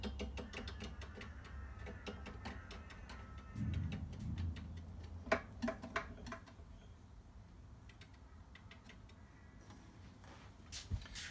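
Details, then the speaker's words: Scott Bonnar Model 45 cylinder mower, reel spun after adjusting both sides to the bedknife: light, even snicking ticks fading as it coasts down; minimal just-touching reel-to-bedknife contact, correctly set. "okay so now I've adjusted both swords and I can hear that uh The Reel is making minimal contact on both hopefully evenly across the whole dead knife"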